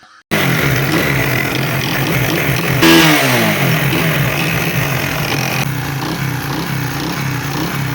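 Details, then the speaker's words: Motorcycle single-cylinder after fixing oil starvation (no oil reaching top end, loose tappets adjusted, oil pump issue resolved): even clean thump with a quick rev and settle, no tapping; engine noise cured, normal running. "तो जी दोस्तों, देखा आपने हमारी बाइक अल्हम्दुलिल्लाह परफेक्ट बन चुके।"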